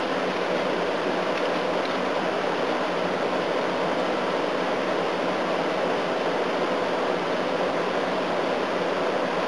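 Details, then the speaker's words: A/C unit on high fan, leaves inside, both coils damaged in the same spot and jammed into the case: steady, even air rush with no knocks, rattles or squeals; works quite well and is cooling down. "But this unit works quite well as well. Yes. It's cooling down."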